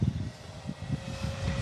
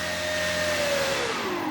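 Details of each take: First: E-flite Commander mPd 1.4 m RC plane, motor run: buzzy, uneven drone with a rough pulsing flutter, sounding like a gasser; the motor vibrates, suspected loosened motor mount, prop to be removed to check. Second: E-flite Commander mPd 1.4m electric plane after a crash and repairs: the motor and prop hold a steady, clean tone through the whole throttle range, then ease down with no resonance or vibration; the spinner wobbles but the prop is balanced.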